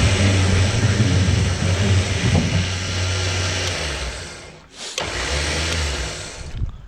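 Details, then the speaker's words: Repaired electric winch on a gooseneck trailer pulling a tractor up the ramp: steady low motor drone at an even pitch under load, a brief stop then smooth restart; the winch works well and the welds hold. "all right this is the real test and let's try to winch let's winch the tractor in all right we're getting tight on it"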